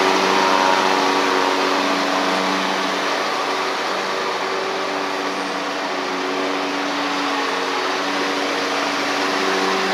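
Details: Ferris stand-on mower with Briggs OHV twin, after repair: misfire on one cylinder traced to loose intake pushrod guide bolt throwing pushrod off; pushrod refitted unbent, valves in gap. Steady even drone riding, no misses, knocks or surging; runs healthy.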